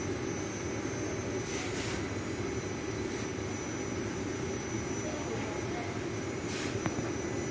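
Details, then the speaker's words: Old ceiling-hung air-conditioner indoor unit before repair: a steady whooshing fan roar over a low rumbling drone, from a sagging assembly that knocks the fan motor out of line. "เราชุดนี้มันตกนิดนึงนะครับก็เลยทำให้มอเตอร์มันเบี่ยงนะฮะ"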